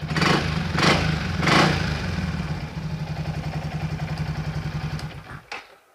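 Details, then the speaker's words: Yamaha XMAX 300 scooter that was hard to start, stumbled and wouldn't idle, after home repair: three quick throttle blips then a steady, even idle putter before shutoff, normal idle. "ได้แล้วครับเดินเบาได้ปกติเหมือนได้ด้วย"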